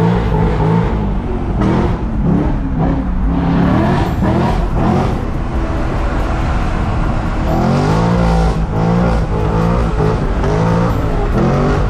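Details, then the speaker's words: Chevrolet Corvette C6: under acceleration the engine revs hard with a pulsing, stuttering drone as a rear wheel loses grip and hops; owner also hears a knock from the rear axle and suspects overly soft bushings, cause unclear. "вают это когда колесо блин срывается и начинает прыгать"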